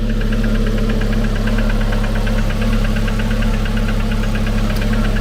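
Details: At idle a quick, evenly spaced light click over the engine hum, once per crankshaft revolution, not each half-turn, so not the connecting rods; source unknown, pump suspected, not confirmed.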